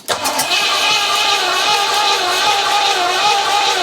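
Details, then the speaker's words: 4.6 litre Rover V8 first crank after long project, fuel confirmed at unions; starter spins evenly four seconds with no cylinder catching; cranks but won't start, fuel delivery suspected, spark not yet checked. "It makes me think we're not getting any fuel, but it didn't go when I shot that."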